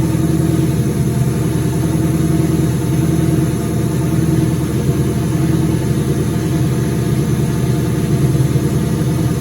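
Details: 2003 turbo Mustang Cobra V8 idling after reinstall with new valve cover gaskets, about 55 psi return-style fuel, intercooler cold-side pipe disconnected: steady even smooth low rumble, no knocks or misses; normal idle.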